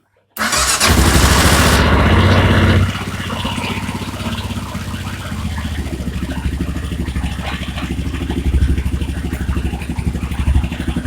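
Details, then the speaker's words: Kawasaki Tengai KLR 650 after prolonged storage, carb bowl refilled by opening the fuel tap since fuel had evaporated: fires instantly, blips briefly, then settles into a steady, even thumping idle with no misses. "voilà normalement ça doit fonctionner 100% du temps à tous les coups si ça marche pas c'est que vous avez un autre souci comme toujours"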